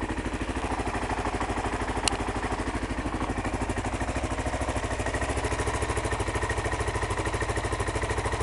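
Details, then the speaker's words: 2001 Kawasaki KLR 650 single-cylinder, cold start on choke; crisp evenly spaced thumps at fast choke idle, no misfires or rattles; healthy, burns no oil. "and yeah, so this is a cold start. Ooh. Right, choke."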